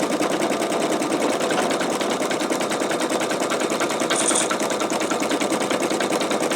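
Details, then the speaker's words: Embroidery machine sewing a T-shirt: rapid, steady needle clatter about three stitches a second, light and even with no knocking or grinding. The stitcher says it sounds weird here while doing a satin stitch; normal satin stitching. "Okay, you can see, you can hear where it was getting kind of like weird sounding right there, and that was doing some, I believe it was doing satin stitch."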